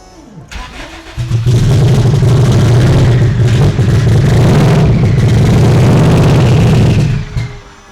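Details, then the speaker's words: Low-mileage 600 hp drag-racing Subaru WRX that sat about 15 years, on a shot of ether, throttle wide open; starter whirs then loud uneven roar about six seconds and dies; unclear if running on fuel or only ether. "I can't tell if it's trying to run on the fuel or if it's only running on the ether."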